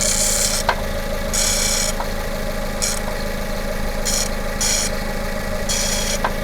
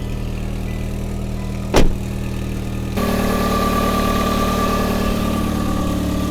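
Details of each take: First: Hyundai Tucson petrol engine at first start, warming up at idle under 1,000 rpm: intermittent hissy bursts and faint clicks; owner suspected a tight or failing belt bearing but ruled it out; noise then fades. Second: Hyundai Tucson petrol engine first start, idling steadily and evenly with a brief early thump, then livelier; normal idle, though a coolant leak and a smoking exhaust manifold were seen afterward.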